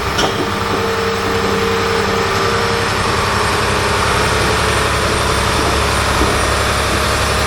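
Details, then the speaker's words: John Deere 850J dozer diesel engine, re-rebuilt after a post-rebuild noise forced a second teardown, fluids topped off, run outside for a leak check: steady even diesel clatter, no knocks, squeals or misses; healthy idle. "let her run out there for a little while seems all good no uh leaks no big noises sounds and looks all normal"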